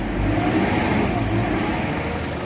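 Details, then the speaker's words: Isuzu MU-X diesel after blow-by treatment added without opening the engine: smoke gone, steady even idle with a firm low throb, engine sounds strong and healthy. "Mapansin niyo yung ah andar ng makina ano na siya ah meron na siyang galit. Prosado na."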